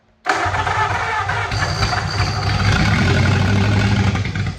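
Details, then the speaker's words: 1927 Roadster flathead V8 with a jumper wire made to power the ignition: it cranks, catches at once and holds a steady, fast idle with no misses; the distributor is then advanced. "I'm gonna take this. Oh, she runs."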